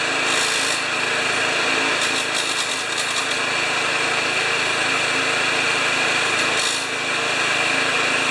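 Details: Murray mower with Briggs & Stratton engine: steady, even high-pitched drone at constant speed without knocks or surging; running like a champ, handle vibration of unknown source judged nothing to worry about, though the carburetor is later found faulty.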